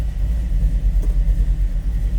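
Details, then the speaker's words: 1929 Ford Model A street rod, 283 V8 with three deuces, Edelbrock intake, roller cam, 700R4 automatic, just started: deep, lumpy burble with steady pulse and strong low exhaust rumble, running clean at idle; normal. "Let's go ahead and fire this up. Great sounding car also."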